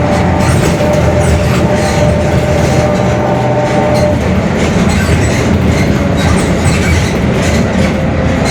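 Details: Mercedes-Benz OF-1721 Bluetec 5 extended urban bus, Mascarello GranVia Midi 2014 body, built 2021, underway: a steady low rumble with a faint drawn-out hum on top that fades as speed changes, from a growling rear differential.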